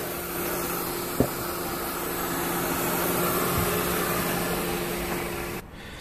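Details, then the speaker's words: 2003 Mercedes C180 Kompressor 1.8 petrol, air flow meter fault codes: constant airy hiss over steady idle; spraying electrical cleaner nearly stalls the engine, indicating a vacuum leak. "so when I went in there and check the engine as I was saying I heard that sort of vacuum leak or why looks like a vacuum leak and then when I spray that electrical cleaner as you can see the engine nearly dies"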